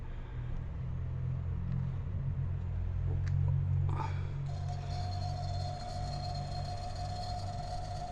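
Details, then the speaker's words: Panasonic refrigerator compressor run alone on a test cable, overheating and drawing higher current than it should, droning with a rough uneven hum and steady whine from a worn mechanism. "Outra coisa também que a gente conseguiu perceber é que o barulho do motor compressor tá totalmente diferente, certo? Barulho totalmente é fora do anormal."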